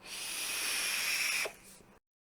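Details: Vape coil on a TFE8 Big Baby tank fired at about 120 watts: a steady bright hiss for about one and a half seconds that cuts off cleanly; the coil is firing normally.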